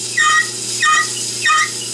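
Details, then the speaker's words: Belsaw lapping machine, after electrolysis rust removal, running after coarse cloth lapping: three sharp high squawks about every 0.65 seconds over a quiet motor hum, like something rubbing or binding each turn; owner plans to take it apart to find the cause. "I'm going to have to take this apart and see what's inside. I don't like that sound one bit."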